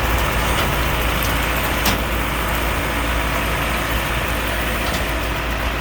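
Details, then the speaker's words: Allis Chalmers 6080 tractor diesel, recently overhauled, working a mower deck. The engine pulls under load with a steady, even drone and no knocks or misses: normal running. "Well, that's that. 6080's running good. It's using very little fuel, like they do."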